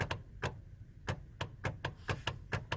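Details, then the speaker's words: 2003 Hummer H2 with key stuck in ignition, dash panel removed: sharp uneven clicks about twice a second as the harness is moved; loose or shorting pink wire at the ignition switch harness. "little click. Turns out that this little pink wire that's right here, I don't know if that can focus any better, but that pink wire right there is a wire that I guess goes to the ignition switch."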